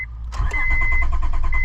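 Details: 2002 Honda Odyssey, no-start after fuel pump replacement, cranked while testing main relay: short burst of steady cranking with rhythmic compression beat, never fires; main relay suspected, power feeds confirmed present.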